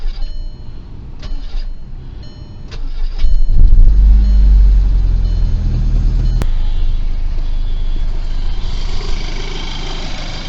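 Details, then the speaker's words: MK5 GTI after replacing the oil pump, chain, tensioner, balance shaft and timing belt, oil pump primed, timing dead on: cranks briefly, catches and idles smoothly; the A1 premium tensioner chatters slightly, but not from the chain; normal start. "That runs nice. The tensioner is an A1 premium replacement, so it's starting to make a little bit of noise, a little bit of chattering, but it's not coming from the chain."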